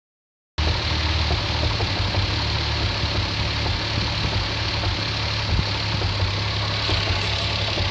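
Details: Toyota Supra RZ petrol engine at idle: a steady hum with a faint, uneven tapping knock.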